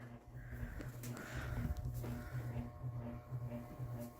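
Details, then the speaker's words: Ceiling fan at Dad's house, set to high: low steady hum with a pulsing buzz about twice a second; motor has quite a buzz on high. "set that up to high I'll do this on high well now it's got quite a buzz to it"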